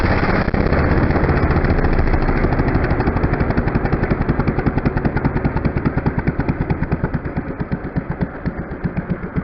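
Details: Small 49cc four-stroke bike engine kit on an antique-style pedal bike, factory muffler, first firing: even putt-putt pulses about three per second, no skips. Normal running.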